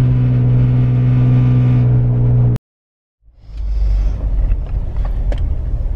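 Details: Jeep Wrangler Unlimited 4-door 3.6L V6 with Magnaflow 15117 exhaust, in cabin after new tailgate fitted: deep steady exhaust drone and road rumble, no body rattle now.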